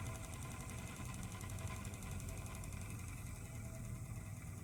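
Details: Vintage Elcon disc fan from about 1930: a faint fizzing crackle rides over the motor's low hum as the brushes arc on the commutator.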